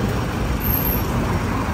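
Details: Toyota Vigo 1KD diesel briefly revved, code P0093 fuel leak; smooth, even drone with no knocks or misses, black smoke on rev but white smoke gone.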